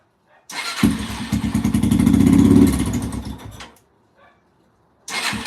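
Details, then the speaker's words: 2005-2009 Yamaha TTR-230 single-cylinder, lean carburetor suspected: fires, revs and holds a few seconds then dies; keeps running only with choke on, as if not getting enough gas; spark plug shows a nice burn. "it's like it's just not getting enough gas H interesting hm runs great with the choke"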